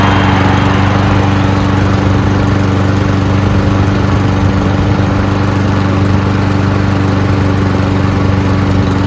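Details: Cub Cadet mower, probably an MTD Powermore engine, that had long sat unused, after a spray prime: a steady, even single-cylinder beat at constant pitch with no knocks or surging. The carburetor seems clean and the engine just needed a prime.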